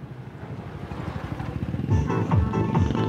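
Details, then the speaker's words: Home Vision amplifier with distorted sound, tested with input fed straight to the main board bypassing the tone control: music plays clean and full on the channel without crackle or hum, so the main board is fine; fault traced to the tone control. "Ayan kita niyo mga kartiklo? Okay yung name board niya. Lipat natin sa kabila sa left channel."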